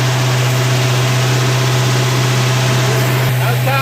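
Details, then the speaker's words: 1970 Dodge D100 pickup V8 during cam break-in after cam swap with DLC lifters, held near 2,000 rpm after long sitting, smoked a little at first fire-up: smooth, steady drone at constant raised speed, no ticking or knocking; exhaust and engine sound good. "Well, I've got it uh pretty close to uh 2,000 RPM. I'm going to let it sit there. But, it's sounding good. Exhaust sounds good. Engine sounds good."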